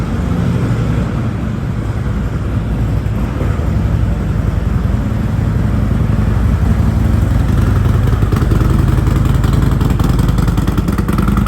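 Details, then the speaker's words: Harley-Davidson Road Glide 114 just after an S&S 475C cam install, still on the stock base map with no tuning: a loping, uneven idle at about 210 beats a minute that stumbles and surges; it needs tuning. "So this is actually running on the base map, like base regular stock road glide map. No tuning at all by the auto tunes I did, but with the cam in it. So it's gonna run like shit, but"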